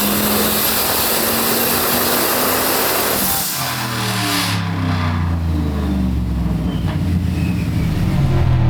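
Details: Turbo LS-powered Oldsmobile on a Holley Terminator X, full-throttle dyno pull reaching about 509 hp: an even, strong V8 pull with no misses or knock, healthy running.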